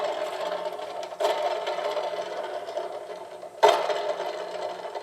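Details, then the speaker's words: Scag mower, belt off, idler pulley spun by hand: dry, gritty rattle swelling with each spin, and the pulley rocks loose; bad idler pulley bearing, pulley to be removed and bearing replaced. "the racket so I am NOT going to run this this is going to be down so I'm gonna pull this pulley off"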